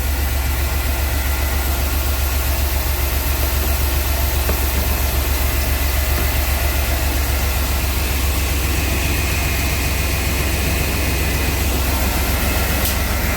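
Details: 1997 Chevy Blazer after replacing a worn distributor cap and rotor that caused no spark and stalling: steady, even low idle with a regular firing pulse and no stumble or miss; runs smoothly.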